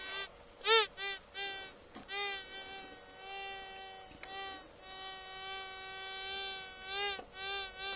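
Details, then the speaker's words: Tesoro gold detector, ground balanced, scanning an old river channel bank at 5,000 feet; a steady faint tone is broken by rising and falling warbling chirps as the coil passes a target, a metal detector hit. "And if I get any hits, it's got some kind of metal in it that's big enough for this to see."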